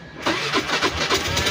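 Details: Suzuki Avenis 125: starter whirs in quick uneven surges without engaging, engine never catches and dashboard dies; starter drive (bendix) slipping.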